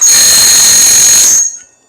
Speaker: Hear that squeal? That means it's not sharp.